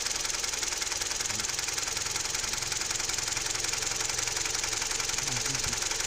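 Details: Toyota 3ZR-FAE engine with CVT, noise heard only when warm: steady light ticking knock, about three to four per second, over a hissy idle; it quickens when the brake pedal is pressed; cause not yet found.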